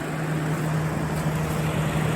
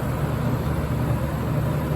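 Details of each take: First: Curb-found General Electric Thinline window air conditioner, owner thinks 1960–63 open-fan model, 12 amp unit, first start-up with fan only: smooth, even low fan hum, no rubbing or rattling; fan runs normally. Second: Curb-find General Electric lo Thinline window air conditioner on its first start-up, with condensation forming on the line: steady, low compressor drone with no clear rattle or squeal. Compressor running; owner suspects it may be a bit low on refrigerant charge.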